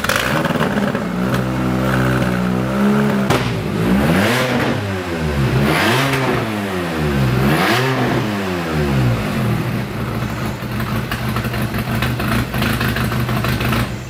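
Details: Big-turbo VW MK5 2.0T startup after an Audi TTRS low-pressure fuel pump and custom cooling piping install; uneven revs rising and falling through blips with clatter, then an unsteady idle; rough running.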